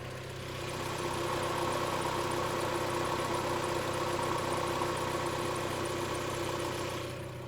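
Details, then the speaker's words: Mazda Miata petrol engine idling smoothly after Rislone engine treatment, sitting 24 hours and PCV valve replacement: lifter ticking has subsided, though still slightly louder on cold start. "all right guys the car has been sitting for about 24 hours now and it's I was ten ties better"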